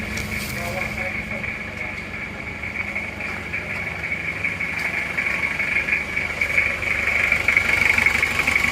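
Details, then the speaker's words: Toyota Kijang diesel 2L after rebuild for oil burning from 2 mm ring gap, new liners, original rings, idling after 3 km driving, still breaking in: steady even clatter, slightly rising level, no misses or knocks, crisp smooth healthy. "ini adalah bunyinya mesin Panther mesin Kijang diesel ini setelah kita pakai sejauh 3 km ini bunyinya seperti ini teman-teman ini masih akan kita rayon karena ini linernya baru Saya rasa untuk suara sudah bagus sekali renyah dan halus rata"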